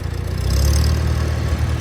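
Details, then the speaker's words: 1952 Farmall Super C on a test drive in gear after nine years idle, with a rebuilt starter. Deep, even chugging holds steady with no misses or knocks: super smooth and healthy. "and see how she does. Man, super smooth, super smooth."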